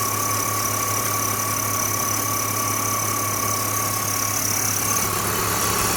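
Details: BMW E46 330i at steady idle: engine hum with constant thin whistle riding over it; abnormal engine noise, source unclear.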